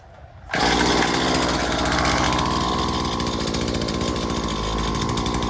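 Engine catches and settles into an even, buzzy two-stroke run with steady revs and no misses; ignition is firing strongly.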